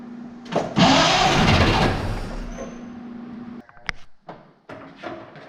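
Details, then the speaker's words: Barn-find 1931 Oldsmobile F31, first start attempt on 12 volts with choke open: starter churns a couple of seconds and never catches, stopping in fits; they suspect fuel not reaching the carburetor. "hang on I don't think we still getting enough fuel up to the carb yet but it pumping it's pumping"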